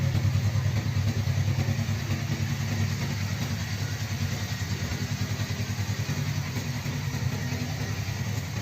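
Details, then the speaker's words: Freshly rebuilt Suzuki GSX250 gymkhana engine with forged piston, DL300 crankshaft and balancer, high-angle cam, slipper clutch and piggyback ECU, not yet broken in: low soft even idle, no ticks or knocks; owner says very quiet, no echo in an underground garage. "The owner noted it's very quiet— it doesn't even echo in an underground garage."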